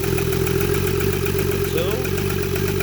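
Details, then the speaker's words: 2016 Chrysler Town and Country (Dodge Caravan) petrol V6 after replacing the bad cylinder 5 injector (codes P0205 and P0305, light misfire): smooth, even idle with a steady low hum and no stumble, confirming the fix. "I'll put it all back together it should not be misfiring we just confirm the fix"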